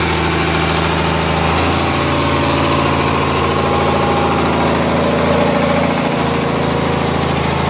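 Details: Komatsu S6D125 diesel on test run after general overhaul (broken No.5 piston, spun No.4 conrod bearing; crankshaft, liners, pistons, conrods, bearings replaced; turbo repaired, FIP and nozzles calibrated); steady even beat, slight pitch shift, no knocks or misses; normal running.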